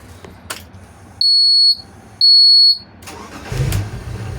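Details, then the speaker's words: Rampage boat's starboard engine, after a no-start fault (needed a jump despite new batteries) was fixed with a battery replacement and wiring repairs: two sharp beeps, then it starts right up and settles into an even low rumble; problem solved. "that started right up and there's the [Music] port that sounds good that sounds good so I'm going to say we found the problem and solved it"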